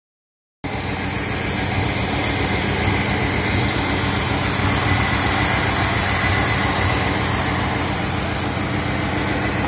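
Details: 1986 Chevy Caprice V8 idling with a lumpy, uneven low pulse about four beats a second and bogging out, despite new carburetor, distributor cap, rotor, coil, plugs, wires, EGR, PCV valve, fuel pump and line.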